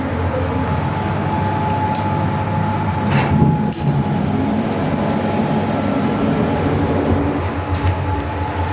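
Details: Fujitec 8-person, 540 kg lift serving floors 1–11, filmed December 2022, running: a steady low rumble with a faint constant whine and brief scraping surges midway, abnormal ride noise of unconfirmed cause.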